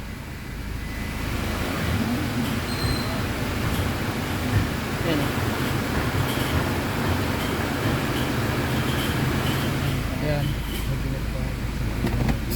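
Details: Toyota Fortuner diesel at idle: steady low humming drone with no clear knock or tick; hum of unknown origin awaiting engine diagnosis.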